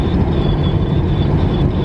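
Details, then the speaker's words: Western Star truck at highway speed, in-cab: thin steady high whistle over low road and engine rumble; owner suspects whistling mirrors but doesn't know which part whistles, unconfirmed. "do you guys hear that whistling remember I was telling you like a week ago that this truck's got whistling mirrors and they don't really know how to whistle a very good tune"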